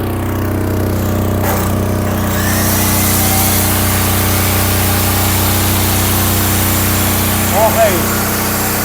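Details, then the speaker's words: Silent-type generator with 100% copper winding under 2,000 W plus 1,600 W loads together: steady low hum holding even speed, no surging or hunting; handles the load fine. "Bali wala. Okay na po, sir."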